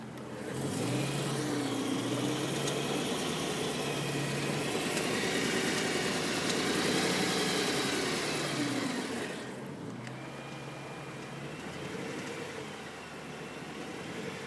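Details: 2010 BMW M3 V8, fully warm after over an hour of driving, recorded from bottom of engine: quick, fairly even ticking about four a second at certain rpm, as if something loose inside; cause unconfirmed.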